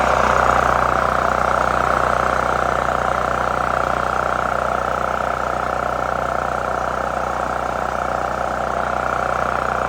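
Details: New Holland Agriculture 6500 W generator, previously seized after running low on oil, restarted with fresh gas, valve cover and spark plug refitted; steady, even drone with constant tone, no knocks or surging; normal running.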